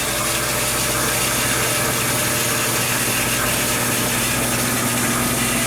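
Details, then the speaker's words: Water pump in an off-grid laundry in central Maine, feeding the washing machine's fill at cycle start, because the washer has no internal fill pump. Steady loud buzzing hum with a low drone and watery hiss, no surging or knocking. Normal running. "You're going to hear the pump go on. It might be a little loud, I apologize for it, but it's got a funky sound to it."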